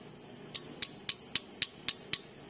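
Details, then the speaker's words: Motorcycle crankshaft repair, owner reports heavy vibration: hand-rocking the connecting rod gives seven sharp metallic clacks, about four a second; rod still knocks, unlike a new one; worn big-end with excessive play. "stangnya masih bunyi kalau stang baru itu tidak seperti ini ini bunyi keras banget"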